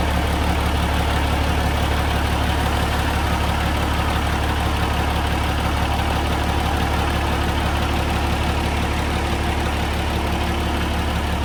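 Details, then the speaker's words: Peterbilt truck diesel started after fitting a new $35 part for a wiring issue; slow, steady clatter around four pulses a second, idling a bit low; cause suspected, not confirmed. "Sensor or not. It does sound like it's running a little low."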